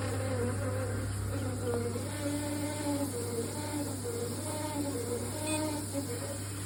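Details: Triton Envi electric shower: loud steady electrical buzz over a constant hum; possibly a buzzing pump or solenoid or a component defect, cause suspected, not confirmed.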